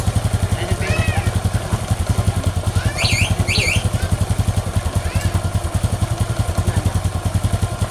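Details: Honda Supra X 125 after rebuild: steady, even single-cylinder idle with no rattle or roughness, raised slightly because the new engine is still tight; the earlier rough noise is gone.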